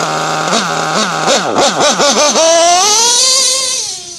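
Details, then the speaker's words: Modified Nova 28.8 nitro engine: screams at high revs but pitch sags and recovers repeatedly when pinned, a lean bog at full throttle. "See, I just richen the high, I richen the high end needle and that stopped the bogging. Like you can only hear the bog when I pin it."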